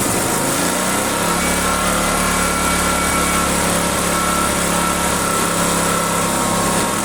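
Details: Owner's generator, neglected and stored about a year, which would only run on choke, run after a carburettor clean and reassembly: high steady buzzy drone that sounds strained and not quite clean; rough running, cause suspected, not confirmed.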